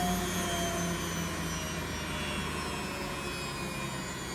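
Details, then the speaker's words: Beko WX842430W front-loader, possibly 2017, two minutes left as spin ends: steady rushing whir slowly dropping as the drum coasts down, nothing rubbing or knocking; normal spin wind-down. "in another video i'll take the top off and have a look inside i wonder if it's clean in fact there's two minutes to go there it's winding down"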